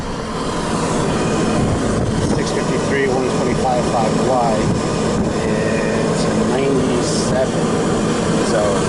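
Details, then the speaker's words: Lennox GCS16 rooftop unit, no-heat call: steady rushing hum of the inducer fan alone, no igniter click or burner light-off; inducer running but no ignition. "right now as you can hear it we got inducer running and we got no ignition"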